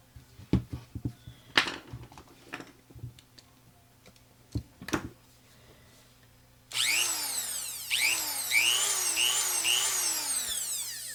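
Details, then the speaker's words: Made-in-Mexico Dremel rotary tool, single speed 35,000 rpm, after fixing switch contacts: after handling clatter, high-pitched whine spins up and holds, dipping and rising as the switch moves; running normally again. "Looks like it works to me. This one here is just a single speed, 35,000 RPM."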